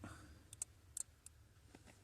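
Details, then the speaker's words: 2017 Infiniti Q60 with intermittent no-start: relay inserted with key on gives quiet cabin with sharp irregular clicks in bursts; relay chattering, voltage not changing and no output to the dash. "I'm going to uh insert the relay and it's actually clicking right now"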